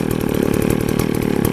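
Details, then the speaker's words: McCulloch 610 24-inch chainsaw, unused a year and hard to start on stale gas, now running with extra 2-cycle oil in the fuel: crisp, rapid two-stroke popping at a steady, even idle with no stumbling. "And I put a lot of extra 2-cycle oil in it, you can see. It's sitting good now in idling."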